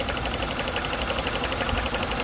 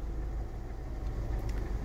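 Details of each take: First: Renault Megane 2 showing check injection and check gearbox warnings, with codes DF073/DF074 for cylinder 2 and 3 ignition coil circuits: an uneven, lumpy idle with irregular thumps. It is a misfire with shaking and power loss, caused by loose, damaged coil connectors. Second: Renault Megane 2 after repairing bad ignition coil connector contacts (cylinders 2 and 3, no plugs or coils replaced): steady low drone while driving, no stumbles; coil faults and dashboard warnings gone.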